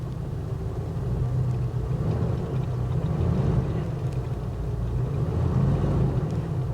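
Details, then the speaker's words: 1983 car from a salvage auction, engine unconfirmed (guessed 5.0 V8, possibly fuel injected), started on its own: a smooth, very quiet, even low rumble at idle with no ticks or knocks. "she's running fired up on her own ah wow can you hear how quiet that"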